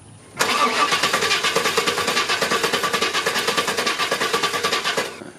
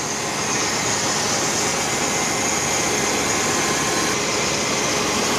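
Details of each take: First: Chevy 350 Vortec Suburban, sat for years, fuel system replaced, new coil and crank sensor fitted: steady cranking about three pulses a second for nearly five seconds, no catch; crank no-start, weak spark. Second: Chevy 350 Vortec Suburban, sat for years, after new cap, rotor and full ignition and fuel system: smooth, steady idle with airy hum, no misses, knocks or stumbles; running properly.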